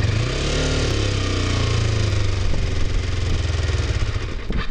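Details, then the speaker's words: Kawasaki Ninja 250R inspected as a possible learner bike, apparently dropped (bent peg), started on choke: engine runs then turns choppy, coughing and stumbling, sputtering; sounds sick and needs a tune-up, cause unclear, idle then adjusted. "This bike really needs a tune-up. This bike sounds sick. Like it's... Something's not jiving there."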